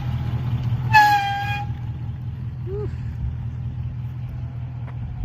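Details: Cord 812 right rear wheel with all-new shoes, cylinders and springs: at half brake pedal, a brief piercing high squeal rises over the low idling engine, then fades. Brake squeal.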